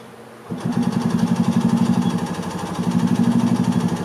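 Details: 1986 Yamaha G1 gas two-stroke golf cart that shut down while driving: steady starter cranking about three pulses a second, no firing even with choke; crank no start, carburettor clogged with rust debris, fuel smells like diesel.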